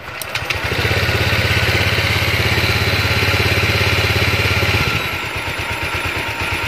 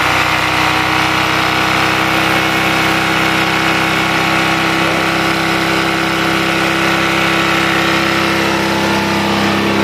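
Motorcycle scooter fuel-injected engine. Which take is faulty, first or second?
second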